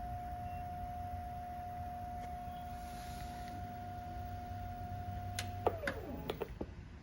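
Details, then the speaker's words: VCR in a combo unit found on the curb: a poor tape plays, but on fast-forward there are clicks and a whir that winds down after five seconds as the transport stops. "Yeah, right when I fast forward, it just stops. So no on the VHS, which is not surprising."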